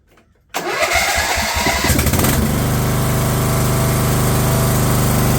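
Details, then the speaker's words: Craftsman LT1000 lawn tractor after fitting a previously rebuilt Walbro carb in place of the poor-running aftermarket carb: starter churns, engine catches and settles to a steady even low drone without surging or sputtering; normal running. "Funny just how much a machine can change just by just running better."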